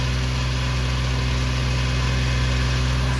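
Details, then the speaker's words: 1993 Suzuki Carry mini truck on its straight muffler before an exhaust replacement, started cold: quick, even high idle with a loud, raspy exhaust drone; idling high because of the cold weather. "pretty bad it's kind of high idling right now because it's pretty cold where I'm at"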